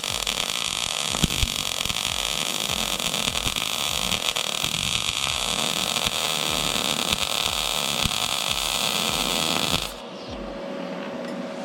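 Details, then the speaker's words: YESWELDER MIG-205DS on 1/8" plate, .030 wire, argon/CO2, 78 amps, inductance +5 going to 10: steady, even frying hiss, no popping or spatter for ten seconds, then stops. Smooth MIG arc. "It's really smooth already, but I'm going to try that here, and I'm going to flip this over and go negative on the other side, see what happens."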